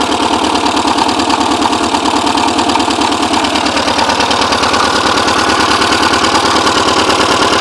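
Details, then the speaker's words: Porsche 944 just started after ten years unused, all exhaust valves bent from a timing belt tensioner pulley failure: loud, lumpy idle with ragged, uneven beat and puffing exhaust, smoking badly; misfire consistent with bent valves. "Doesn't sound happy. Smoking pretty bad."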